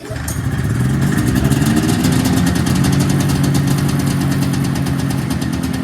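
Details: 1979 Yamaha SRX snowmobile first start-up after fuel system, fuel pump and cooling system work, now with cooling hooked up: two-stroke settles into a steady, even crackling idle with no knocks or misses; normal idle.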